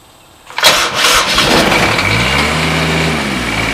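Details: Kubota D722 diesel on TG1860 riding tractor, idle over a year, weak uncharged battery, old fuel: short crank, catches at once, steady low idle with no misses; clean cold start; alternator not charging, to be replaced.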